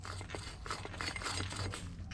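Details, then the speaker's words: Front wheel bearing just removed from a 2003 Ram 1500, spun by hand: uneven, gritty scraping with scattered clicks instead of a smooth spin. A worn-out wheel bearing. "Listen to how terrible this bearing sounds. You hear that bearing in there?"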